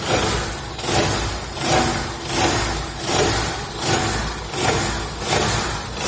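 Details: Old car running after hitting ground on a dirt road: buzzy underbody rattle and vibration swelling about 80 times a minute, the bent crankcase skid plate touching the exhaust.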